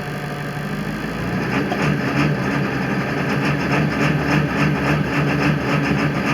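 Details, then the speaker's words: 2000 Ford F-350 crew cab dually, 7.3 Power Stroke diesel, cold engine: idles steady, but in gear with brake held and a little throttle it misses badly, chugging unevenly about three pulses a second, then returns to idle fine; faulty injection pressure regulator valve. "hear that here's the way the engine's missing really bad chugging ah she goes back to idle just fine"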